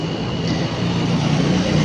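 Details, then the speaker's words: Toshiba washing machine that showed error E71, after the fix: steady low motor hum climbing slightly as the drum picks up, no grinding or clunks; normal motor drive. "ये देखो, ये इंशाल्लाह अल्हम्दुलिल्लाह ये देखें motor drive करना शुरू हो गई है।"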